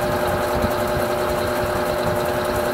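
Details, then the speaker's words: Electrolux Silent Control 12 kg (LAC12) washer, light-clothes load, low water level, Normal program with Silent Cycle function, advanced by step key to spin: an even, steady whirring hum with constant pitch and no thumps or scraping. Normal spin. "vou ligar lavadora com a tecla avançar em etapas vou até centrifugação e agora então vou deixar ela fazer a centrifugação"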